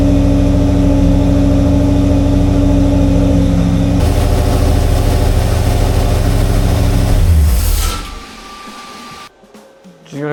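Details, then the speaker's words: Mopar 340 V8 for a drag-racing Dodge Dart on break-in runs, oil around 200°, watching for cam or lifter wipe. Steady, deep, fast even rumble for eight seconds, then shutdown; no knocks, ticks or leaks, and oil pressure is good. "So far, I got no leaks, no nothing. Everything sounds good. Oil pressure is good."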